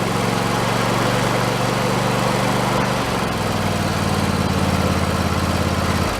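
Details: Husqvarna YTH2454 riding mower engine after carburetor rebuild: hunts unevenly, sagging around three and six seconds as if starving for fuel; owner suspects it was running out of gas.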